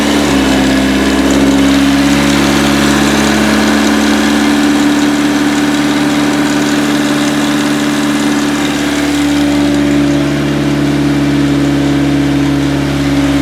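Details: Project car at idle after first start following a 5-month winter build with intercooler coupler replacement and clutch line rebuild: steady, even idle with a smooth low drone and no knocks, misses or hunting; normal idle.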